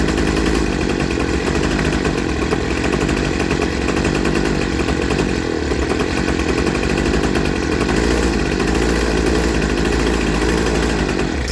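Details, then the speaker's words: Poulan Pro 25cc two-stroke trimmer after a carburetor and fuel line kit install, high-end mixture adjusted and idle raised slightly. It holds a steady high buzzing rev with no surging or sputter, running normally. "And then I brought the idle up a little bit because I had a little low."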